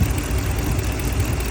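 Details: 2011 Ram 1500 5.7 HEMI, over 200,000 miles, with cam and lifter failure, spark plugs replaced about 3,000–4,000 miles ago; low steady idle with a faint quick ticking, likely from the top end.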